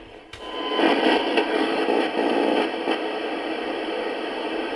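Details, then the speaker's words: Faulty returned portable CD radio: AM works, but on FM it gives only a steady hiss and crackle at any dial position, as if trying to tune in but receiving no station. "it's making the right noises it's like it's trying to tune in but it's not"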